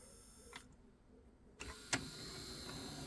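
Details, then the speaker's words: 1985 Pioneer PD-5010 CD player after replacing a belt: soft motor whir with a couple of clicks as the tray travels, a little sluggish but smooth; normal CD tray operation. "Okay, so a belt's been replaced. It's a pretty simple job. It's really not even worth me showing it to you. It's quite simple. So power on. Oh, there we go. It's a little sluggish."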